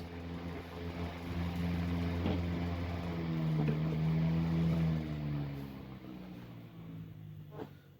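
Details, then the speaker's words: 1910s desk fan after lubrication: steady low motor hum with faint siren-like tone and soft steady ticking; bearings free, fan runs smooth and even, clearly improved. "Now that's how it should be. Look at that improvement."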